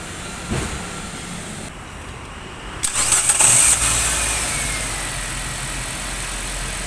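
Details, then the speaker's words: Nissan Grand Livina after intake manifold bolts re-tightened to fix rough, limping running: short crank, catches quickly, settles to steady even idle noticeably smoother; normal idle. "lihat sudah nyala mesinnya kedengaran jauh lebih halus"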